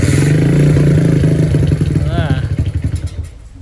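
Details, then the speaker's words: Honda CB100 fitted with a CPO PE 26mm carburetor not yet tuned: small single-cylinder idles unevenly, sputtering in ragged beats before fading; hard starting and rough idle from the unadjusted carburetor. "Karena ee seperti yang kita lihat bahwa si karbunya ini belum di-setting ya, bawaannya itu masih susah hidup dan juga masih dalam keadaan berebet-berebet kayak gini nih barudak."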